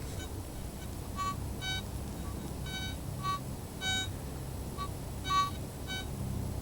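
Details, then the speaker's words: Garrett ATX pulse induction detector, stock 12x10" DD coil, sensitivity raised to 13, over an "invisible" 1.15 nugget: short, faint high beeps come and go over low background rumble as the coil sweeps, a tiny target detected; normal target signal. "Hold it still. Just a little something. So the ATX is picking up an invisible nugget."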